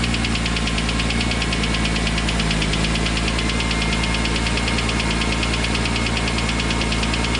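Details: BMW M3 E46 S54 petrol engine at steady speed with a sharp regular knock about three times a second over the hum, starting a few days after a racing event. Engine knocking.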